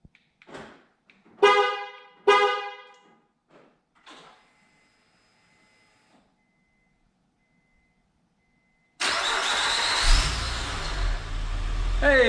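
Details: 2006-2014 Honda Ridgeline with newly installed MPC remote start: two short horn chirps, a pause, then the engine fires straight away and holds a steady idle; normal remote start.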